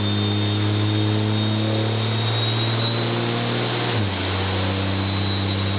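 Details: 6.7L diesel (D&J stage 3 head, second-gen turbo swap) on a dyno after fixing a pinched-boot intercooler leak, 893 hp: deep, steady full-load roar with a clean high turbo whistle and no hiss or flutter. Healthy pull.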